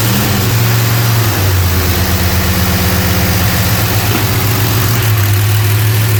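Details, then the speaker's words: Rebuilt engine in a '75 Plymouth Roadrunner, fresh start on pump gas, timing not set (no timing light, distributor placed by eye): uneven lumpy idle, note wandering with a blip of revs; rough idle, cause unclear. "All right, yeah so it fired and ran for a second. Mhm. Pumping gas from the tank. Pump gas. Didn't sound real smooth."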